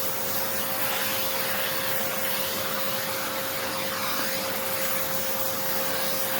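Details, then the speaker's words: Hoover Encore U4595 vacuum motor during refurb: steady high rush of air with a constant mid-pitched motor tone, no rattles or grinding; runs smoothly, bottom motor bearing unchecked but sounds generally okay. "That sounds really good. I just got some dirt there. Yeah, it's just dirt. That's kind of fun. I just gotta plug that a little bit. That sounds really nice."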